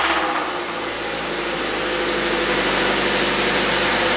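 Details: Engine knocking: a faint, even knock about four times a second over a steady hum. Ticking started while accelerating to 60 from a light and continued after about 6 miles of driving. Owner suspects an overheated, loose rod bearing.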